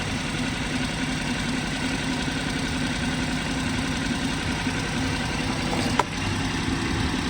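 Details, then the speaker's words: BMW 118i 1.5 Sport idling with flashing engine management light: lumpy, shaking idle with uneven knocking beat under a steady hum and excessive vibration, indicating a permanent misfire. "You see it's running rough. This is ridiculous."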